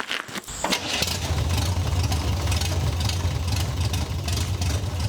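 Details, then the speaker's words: MGB with rebuilt engine and nearly all parts replaced, first start to drive after 27 years: catches quickly, idle with uneven slightly lumpy stumbling beat; carburetors untuned, need tuning. "Starts right up and idles fine. Now, you hear it kind of stumbling. I need to tune the carbs, but I'm gonna drive it before we do that because I'm excited."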